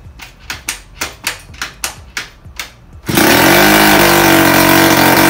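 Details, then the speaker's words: 1978 Puch Magnum X 50cc two-stroke after fitting the correct spark plug: eight kicks about three a second, then it fires and holds a steady, crisp high rev without misfiring; normal start and running. "yeah she was alive and well after putting that new spark plug or the correct spark plug in so uh that's a plus"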